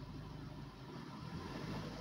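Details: Maruti Suzuki Swift Dzire engine after full engine rework for oil consumption and smoke: soft, even low rumble rising gently with a light throttle blip, no knocks, ticks or rattles and no smoke; normal running.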